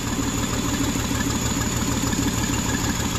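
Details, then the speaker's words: 2009 Jeep Wrangler 3.8L V6, 6-speed manual, with dead cylinders 2 and 5; the shorted 2/5 coil burned out the PCM's coil driver. Lumpy, shaking idle with a recurring stumble about three times a second. Misfire from failed ignition coil. "it does need a coil um the coil is shorted and what happened is that it was it it shorted completely so it burned the computer up that's what happened"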